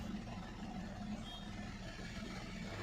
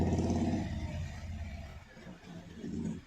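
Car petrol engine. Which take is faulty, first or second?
first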